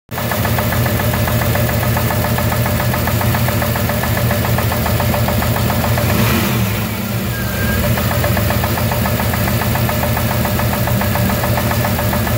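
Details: Chevrolet 350 TPI V8 with 7730 ECM, cold idle: steady ticking knock about three or four a second riding over the idle, from inside the engine, not the top end (stethoscope-checked), not ECM related; gone when warm; cause unidentified.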